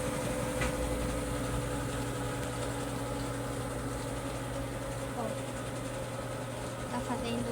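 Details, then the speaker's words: Electrolux washing machine: steady, deep roar with a low hum under rough, grainy noise; the owner doesn't know whether it is normal. "esse rugido. Não sei se é normal. Vocês podem me ajudar aí na mca."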